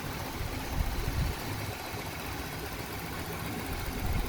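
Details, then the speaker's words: 1996 Toyota Corolla GLi idling about 1,100 rpm (up from 1,000 cold) after replacing power steering, aircon, alternator and timing belts: steady even idle, no knocks or squeals; healthy, owner credits better belt grip. "So tumaas yung RPM niya. So possible ito dahil nagpalit tayo ng mga belts. So gumanda yung kapit ng belt sa ating mga motor, kaya medyo gumanda yung takbo ng ating sasakyan."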